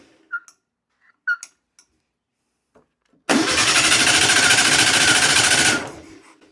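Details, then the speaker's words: 1962 VW Beetle, sat over 20 years: brisk, even cranking at about three and a half beats a second for two seconds, no start; no fuel from the carburetor jet, owner suspects the carburetor needs a rebuild. "Yeah. I think the carburetor needs to be uh rebuilt. I don't see any fuel coming out of there."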